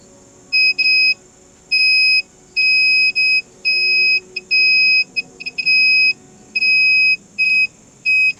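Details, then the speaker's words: 1990s Polytron PSC 35WB cassette/AM-FM radio, 27-pin record/playback switch removed from the board, checked on multimeter continuity mode: the weak beeps before cleaning with contact cleaner are now loud, clean beeps on all playback contacts, so continuity is good. "Vâng, kết nối công tắc đã được khôi phục. Tiếng bíp lớn ở tất cả các kết nối chế độ phát lại."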